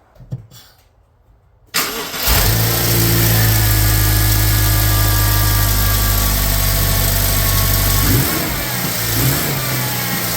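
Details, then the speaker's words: 2013 BMW X6 at idle after start: a constant nasty whine over the engine, confirmed by stethoscope as a bad power steering pump, not leaking and with plenty of fluid. "So as you can hear, we got a nasty whine. I went ahead and used the stethoscope. It is the power steering pump. The power steering pump is bad on this."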